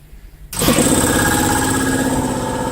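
Quiet, then a sudden kick-on that settles straight into a steady, even drone with a constant pitch: the compressor starts and runs normally.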